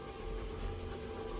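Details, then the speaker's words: Boeing T50 turbine-powered Camaro with a remote transmission pump, after adding about 3 quarts of trans fluid: low, steady hum with an even drone and no knocks or surges; the pump is heard running normally. "Can you hear it out there? Yeah, you can hear it pumping."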